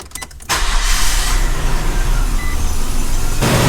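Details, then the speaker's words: Off-road micro RV engine after refilling coolant and fitting a new shorter bolt: quick crank, catches at once into a steady even idle with no knocks or squeals, a healthy start. "you guys hear that terrible noise because I don't that sounds like success"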